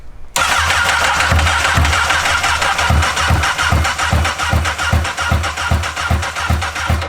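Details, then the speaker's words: Honda N600 with newly swapped CBR1000RR engine, retried after a no-ignition check: steady cranking pulses two to three a second, never catches; owners suspect injectors clogged or stuck from long storage, unconfirmed. "Let's give it a second to rest and try it again. It's trying. You know, this thing could have sat so long that the injectors have trash in them."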